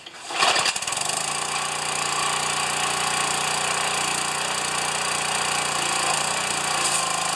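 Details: Pressure washer, first start since last year, small connector leak, unloader working: pulls, fires, then holds a steady even buzz at constant speed with no surging or misses; runs well, normal running.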